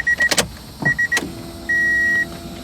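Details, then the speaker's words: Honda Del Sol after fuel pump replacement; key-on clicks then faint steady whir under repeating chime stopping after a couple of seconds: normal fuel pump priming. "hear the pump oh it stopped okay pump is primed"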